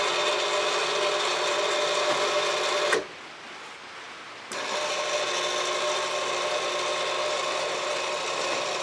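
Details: Alliance HD-73-1 antenna rotator after controller repair, broken actuator switch replaced with SPDT bat-handle toggle: steady even motor hum that stops and restarts cleanly, rain hiss in background; rotator motor runs smoothly, normal.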